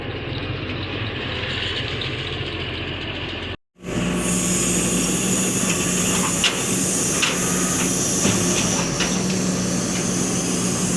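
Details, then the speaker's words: 2005 Mercedes ML350 from a Copart lot, jump-started with a dead battery: steady even idle with a soft hiss on top, no knocks or misses; engine runs healthy. "Starts. Yeah, sounds like it runs pretty good."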